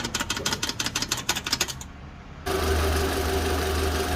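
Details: 2010 (平成22年) Toyota Vellfire 20-series engine bay: quick light ticking about three a second, stopping abruptly, then steady engine hum; owner suspects a gap from a deteriorated heat-shield clip, oil additive tried.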